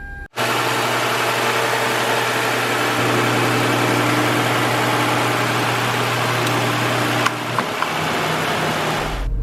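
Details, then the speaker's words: 2013 car with 105,000 miles that failed to start; after charging its original battery overnight it fires right up and settles into a steady, even idle with a constant low hum; runs normally. "I put the battery charger on it overnight and I'm betting it's going to start up let's give it a try and there we go she fired right up"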